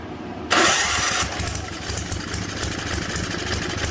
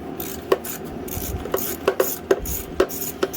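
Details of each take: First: Simplicity 560 snowblower small engine, primed and gas added during a tune-up, in cold weather: pull-start catches at once, then a steady even putter with no misses or knocks; runs well, only a slight hiccup at idle noted. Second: Simplicity 560 snowblower recoil starter in about 10-degree cold: each pull gives a few dry, uneven crunching clicks as it engages; starter dirty and crusty, to be cleaned with penetrating oil and its bearing surface oiled.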